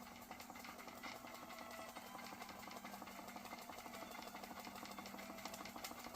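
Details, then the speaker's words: Circa 1895 Georges Carette toy steam engine, about 130 years old, driving 1950s Fleischmann stamping accessory with transmission engaged: fast quiet chuffing under steady hiss, engine labouring harder because boiler was overfilled with water. "You can hear the steam engine working harder. I think I can. I think I can. I think I can. I had too much water in it."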